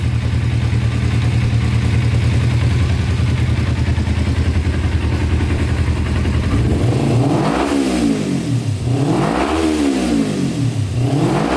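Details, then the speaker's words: Kawasaki Ninja sport bike bought non-running after sitting, oil level good, just started: steady smooth running then clean blips with crisp rise and fall of revs, no misses or rattles; normal revving. "Oh yeah. She's idling."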